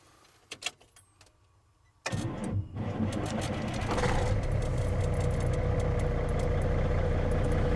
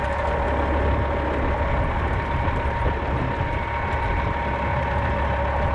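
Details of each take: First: 1995 Western Star truck with Cat 3406E diesel, before exhaust replacement: cranks, catches and idles with raspy, uneven chuffing instead of a smooth low rumble, louder than intact; sheared, holed exhaust flex pipe leaking. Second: A 1995 Western Star with a Cat 3406E diesel, after installing a new 6-inch Grand Rock exhaust, has a deep, steady idle with an even low rumble and no knocks or rattles. The exhaust note sounds healthy.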